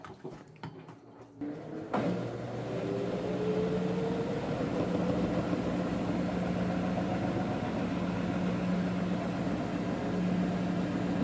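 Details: LG washing machine after rotor replacement (old rotor suspected of loosening a screw): steady hum climbing smoothly as drum spins up, no knocking or rattling; normal spin.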